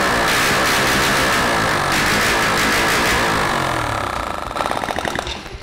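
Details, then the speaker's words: Honda Biz 100 motorcycle engine after crankshaft work, started on contact-cleaner spray without exhaust: very loud, sharp open-port bark firing evenly about four times a second, no knock; runs fine. "Teste realizado com sucesso o motor funciona perfeitamente adicionando um pouco de limpa contato ele entra com o oxigênio e faz a queima e explodindo tudo tá sem o escapamento Por isso faz bastante barulho e eu tô bastante contente"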